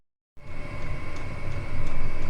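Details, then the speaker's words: Chinese diesel air heater starting after about 3 minutes of glow-plug warm-up, exhaust pipe run through a water bucket: low roar builds faster like a jet engine with faint whistle and annoying fuel-pump pulsing; normal running after ignition. "You'll notice it gets faster. It builds up rather like a jet engine. A little bit annoying, the pulsing that comes off the pump."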